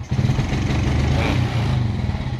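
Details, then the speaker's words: Suzuki Smash motorcycle, engine running: revving brings a stumbling, unevenly pulsing note that won't pick up cleanly, as if short of spark; neutral and speedometer lights brighten then dim. Owner suspects the charging or electrical system, stator (spul) to be tested. "dan terang lagi ketika kita tarikan [Musik] seperti kekurangan api ya tidak mau dicas"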